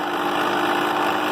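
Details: Vintage Bell & Howell 8mm projector from a yard sale, motor itself sounding fine: harsh droning mechanical whir; mechanism running rough, cause not yet found.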